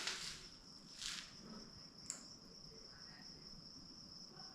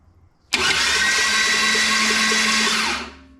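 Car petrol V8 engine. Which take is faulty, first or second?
first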